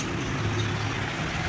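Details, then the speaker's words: Panasonic 15-inch stand fan after repair of a humming fault: steady, even rush of air with low smooth hum and no rattle or growl on speed setting one; fan now running normally. "Maririnig niyo naman ang pagaspas ng hangin."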